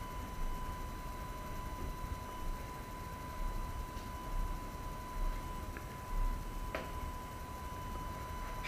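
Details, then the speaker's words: AFI VS-3SG 3-axis handheld gimbal, low-cost, recorded at night with no surrounding sounds: thin, steady high-pitched whine throughout; stabilizer motors noisy enough to be heard in recorded video. "okay so I think it's pretty apparent that uh this Gibble makes noise that you can actually hear in a recorded video"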